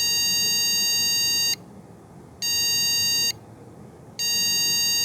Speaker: 이번에는 전원이 들어가고 한참 있다가 비품이 나기 시작하는데, 비품이 길게 한 번 그리고 짧게 2번 나네요.